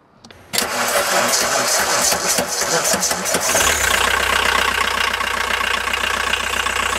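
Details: VW 1.9L turbo diesel, freshly charged 2003 1050 CCA battery: slow, labouring crank about three seconds before catching and settling into idle; owner suspects the starter or battery, not confirmed.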